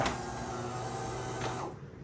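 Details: DeLonghi Magnifica S coffee machine after the faulty grinder motor was replaced. A steady, even motor hum with a clean run-down at the end, and no rattles or strain. The grinder sounds healthy after the repair.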